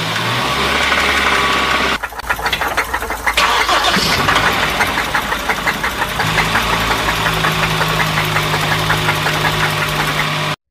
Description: 6:49 صوت نقر معدني من كراسي عمود الكرنك